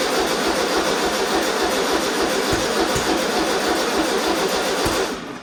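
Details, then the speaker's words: 1973 Volkswagen Super Beetle (1303) after 15 years sitting outside, first start attempt after ignition work; steady starter chug with odd cough but no pickup; no start because plug leads fitted in wrong firing order, fix is moving them one position anticlockwise. "Okay, something happened. It didn't start, but I know why. And it didn't start because I put those wires in the incorrect order."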